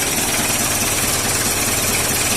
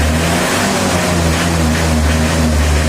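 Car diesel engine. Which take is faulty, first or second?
first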